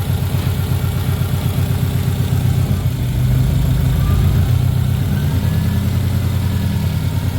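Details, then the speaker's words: Rough idle: a low, uneven idle that wavers, spits and sputters while the voltmeter drops at idle and the gauge jumps around; the owner suspects the front O2 sensor, and a check of the first of two catalytic converters is planned. "you guys will hopefully see it in the video here and hear it how it's spitting and sputtering and not acting proper"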